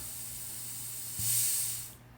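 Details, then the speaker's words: Cheap aftermarket wastegate under shop air pressure: a sharp hiss swells and fades as air bleeds past when the port is covered. The wastegate diaphragm is leaking. "once again you can hear that air leaking by as I move my finger over that port so this one is leaking as well"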